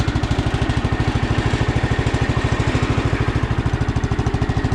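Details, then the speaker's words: Sears Custom 7 garden tractor (about 1968–70), single-cylinder, after a revival: even, steady idle thump with no misses or knocking. Runs smooth. The starter sounds bad and some pulley bearings are slightly noisy. "Runs really smooth though. I think a couple of the pulleys are still, the bearings are a little noisy, but overall the motor runs super smooth"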